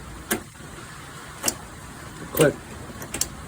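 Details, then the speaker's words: Six-year-old John Deere lawn tractor, fuel shutoff solenoid checked while the key is turned: sharp single clicks about a second apart each time power is applied; the solenoid works normally. "I don't know if you can hear that on the phone but you should hear a click and you should have that the other way"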